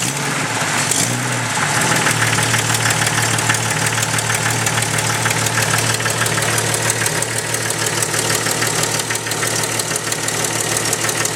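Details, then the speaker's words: Jeep Cherokee 4.0L inline-six (stroker build, OBX header) idling with a sharp steady tick about three times a second, heard through a listening tube from the back side, deep down: cheap header exhaust manifold gasket blown apart; fixed with Fel-Pro gasket. "Got a lovely tick coming from the back side of the motor. You're listening to it through that tube, it even sounds like it's down deep."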